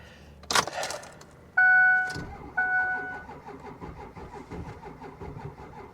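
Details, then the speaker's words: Diesel Ford F250 on a booster pack: keys rattle, short crank, few uneven firing pulses fading quickly; fires then dies, suspected lost fuel prime. "ah it ran it ran hot damn oh come on old girl you're kidding me it fires up and then it dies"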